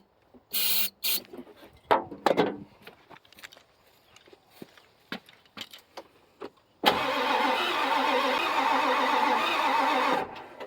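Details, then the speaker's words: 1995 Ford F-250 7.3 diesel in neutral that no other mechanic could get running; steady starter crank of about three seconds with no firing, aside from one brief hiccup; mechanic suspects lack of fuel and plans to check the fuel filter. "All right, it does not want to fire off of anything. And that's not a good sign."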